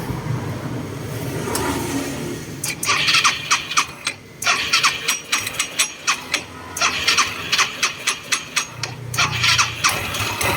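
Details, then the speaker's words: Yamaha Mio 125i fuel-injected scooter after new CVT parts (rollers, pulley, boot): sharp, somewhat uneven clacks about four per second at idle. Suspected to come from the piston; not confirmed. "ตอนนี้มีเตียงดังแก๊กๆน่าจะเป็นจากลูกสูบนะครับผม"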